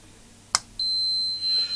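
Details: Arcade air hockey machine PCB, continuity check comparing faulty and working boards: short probe click then steady high beep for a second, continuity where there shouldn't be any; tracks appear corroded, board to be washed.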